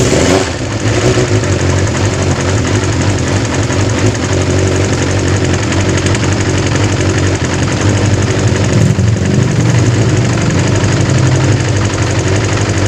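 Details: Kawasaki GPz 400 with a hard-start and overflowing-carburettor problem, after the fix: the engine fires and settles into a steady, even idle with no misfire or stumble. The carburettor is now behaving properly.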